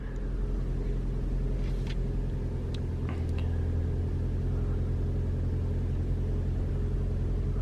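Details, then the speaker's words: 2021 Toyota RAV4 Prime SE in hybrid mode, 57°F outside, climate on auto with AC off: steady low engine rumble at idle with no horn-like heat pump noise. "I don't hear anything. All I hear is the engine."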